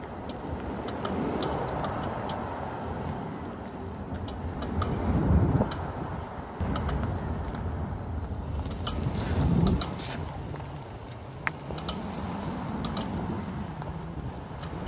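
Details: 2019 Tesla Model X creeping slowly on the road, recorded from inside the cabin: sharp, uneven clicks over soft road rumble and wind; recurring running-gear click of unknown origin after repeated service visits.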